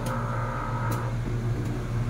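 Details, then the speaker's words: 3-ton aircon outdoor fan motor test-run after bearing replacement and bracket adjustment, previously stopping and noisy: steady low even hum, no rubbing, scraping or knocking; fan motor runs normally. "So ayun o. Wala nang sabit, wala nang maingay."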